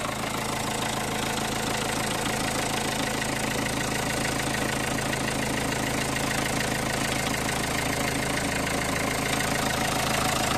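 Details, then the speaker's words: 2003 Renault Scenic II 1.5 dCi (60 kW) diesel at idle after tightening battery terminals and refitting a loose ECU: regular tapping about twice a second over the clatter; vibration remains, cause unknown, possibly something loose. "let's see if this makes a difference I still can feel some vibrations which is strange"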